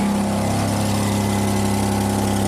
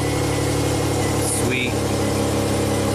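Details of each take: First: 2006 Hyundai Tucson 2.7 V6 AWD, 225k miles, idling after relay contact cleaning: steady idle with a fast, sharp puffing tick riding over the engine note from an exhaust leak at an open joint; one more flex pipe still to install. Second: 2006 Hyundai Tucson 2.7 V6 AWD, 225k miles, intermittent stalling, restarted after filing contacts and swapping two parts around: engine settles into a steady idle with a light rev, no misses, stumbles or stalling; running normally.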